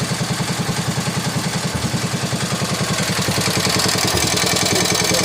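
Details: 1961 IH Cub Cadet Model 70 garden tractor, 7hp Kohler single, sat for years, just started with starting fluid: steady even thump about three and a half beats a second, no misses. Normal idle.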